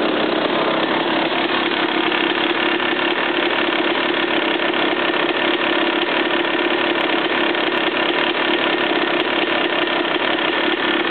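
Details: Suzuki RM250 two-stroke dirt bike idling: fast steady light rattle over exhaust buzz; knock present, owner unsure whether piston slap or rod knock.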